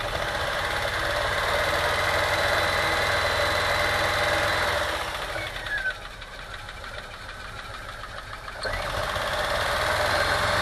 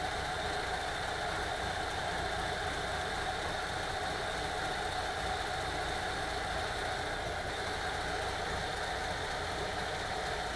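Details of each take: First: VW T3 with 2.1L engine running rough while driving, with uneven stumble and backfiring exhaust pops; ignition scope showed lean burning on cylinder two, no smoke leaks found; misfire from a burnt exhaust valve. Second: VW T3 2.1L after heads replaced, cured of rough running and misfire from a burnt, non-sealing number two exhaust valve: even, steady idle with no misses, knocks or stumbles; smooth and healthy.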